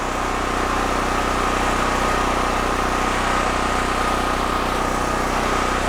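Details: DuroMax Tri-Fuel XP13000HXT generator on gasoline after fuel valve and micro switch repair, load testing with voltage and frequency good: steady, even drone, constant pitch, no knocks or surging; normal running under load.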